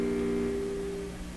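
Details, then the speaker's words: Canadian PYE Model 39HC tube radio with intermittent fault, tuned to 620 kHz with no station, volume up: low steady droning hum with faint tones and weak output; owner suspects an open grid circuit. "turn it up get that hummy sound you know what that sounds like that sounds like an open grid to"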